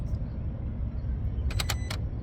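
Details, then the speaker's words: 2023 Kia Sorento engine bay, vehicle off for a while, key out: low background hum then about four quick sharp clicks; throttle body visibly cycling along with an unidentified relay, some circuit apparently staying powered. "this sounds like the throttle body and then a relay and the vehicle's off it's been off for a while and they just keep cycling I don't know which relay it is"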